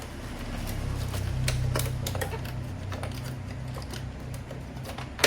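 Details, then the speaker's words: Epson L3110 printer during ASF gear replacement: the ASF roller is turned by hand while the rear is held, giving uneven light clicks about four a second. This is the correct sound, showing the gear engages properly. "Kemudian ini diputar-putar seperti ini, pastikan bunyinya seperti ini."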